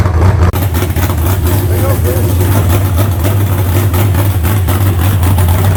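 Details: Fresh 388 small-block Chevy (heads and intake from the owner's problem 406, crew-cab Chevelle) idling out of the car during first run: deep, steady, unhurried idle, no knocks or misses, smooth and strong; about 80 psi oil pressure. Normal idle.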